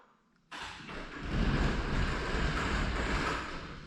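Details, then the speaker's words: Genie opener on the single garage door (one spring): a sudden loud motor drone holds steady with a low rumble. Described as a safety self-test, though annoying; the main door's opener never makes it. "problem number one on this garage door over here it always makes this sound which I think is a safety feature they told me it's a safety feature"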